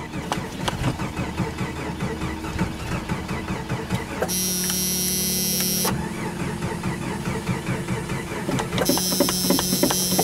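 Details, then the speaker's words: Truck cold start on a frosty morning colder than minus 9; sluggish, labouring starter at about two to three pulses per second never catches, cranking too slowly to fire, owner suspects weak battery. "I don't think it's cranking over fast enough either poor thing huh"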